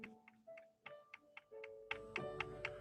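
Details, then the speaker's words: Older sewing machine turned by hand with the bobbin winder engaged: light regular clicks about three to four a second from the older-style bobbin winding assembly. "that's part of the bobbin winding assembly and that bobbin winding assembly that's hidden inside of here has about 20 service points on it"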